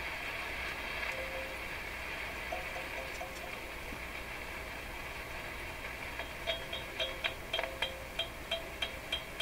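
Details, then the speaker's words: Rogers 11RA651 shortwave radio: steady hiss, then sharp taps about three a second, each leaving a brief metallic ring as a tube is tapped; a different tube is fitted where a 6B6 is believed to belong, with loose elements and a fluctuating hiss level. "Not only can you hear the ringing, which means the elements in the tube are a little loose, but I can also hear a variation in the hiss level is going up and down a wee bit. That's a worrisome tube."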